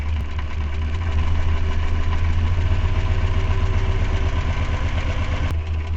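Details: Renault 4L with Cléon 1108 cc engine, points ignition with Grand Laurent electronic module: low, lumpy idle with limping, irregular thump roughly twice a second; one cylinder dead because its plug lead is grounded for testing.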